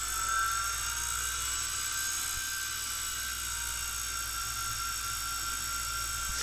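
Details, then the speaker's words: Brüel & Kjær WA 0155 balancing demo unit with new belt, motor running at adjustable set speed: steady high whine, rock steady because it is feedback-regulated; MM0012 probe working. "you can adjust four whatever kind of speed you want isn't that just cute and do all sorts of science experiments that is really nice um and it's rock steady over there because it's feedback regulated and all that kind of stuff"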